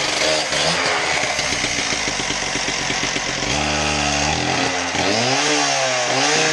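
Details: Husqvarna K770 two-stroke power cutter, final test run after no-start repair and reassembly: starts and runs with a crisp buzzing note, revving up and settling back cleanly, no misfire or rattle; running healthy.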